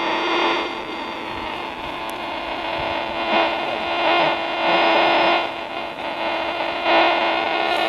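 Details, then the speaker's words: 1962 Zenith Royal 2000 all-transistor AM/FM portable radio powered from a wall-wart switching supply: harsh steady hiss with a buzzy whine, heavy interference the owner suspects is from the switching supply; wants a linear supply instead. "I need to hook into that linear power supply this thing's just too noisy"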